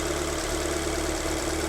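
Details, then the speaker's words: Alfa MiTo Cloverleaf, cold day, idling after starting straight away instead of usual three or four turns; brief early misfire thought to be oil pressure building; steady low hum, no stumbles; normal idle. "okay start up straight away how did that start up straight away no one no one's ever done that they take three or four turns"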